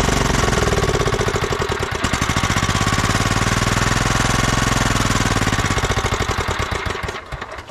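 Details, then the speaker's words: 2004 Craftsman LT1000 riding mower, Kohler Command Pro 16, after swapping in a bench voltage rectifier: steady cranking chug near three beats a second with brief firing that never catches, then winds down. Cranks but won't run; not getting fuel. "well it wants to run but it doesn't have any fuel it's not getting any fuel"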